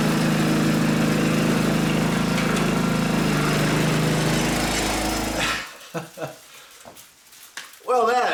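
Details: Riding mower after carburetor cleaning and adjustment, previously stuttering and sputtering from a mis-adjusted carb: engine now runs steady and even at a fast, constant beat for over five seconds, then shuts off, dog barking after; healthy running.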